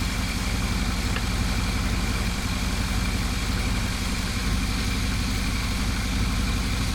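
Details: Smooth, even idle with a steady low beat and no knocks, clunks or whine on a GMC Yukon XL with rebuilt 6L80E transmission, after swapping the shuddering original torque converter for a billet unit.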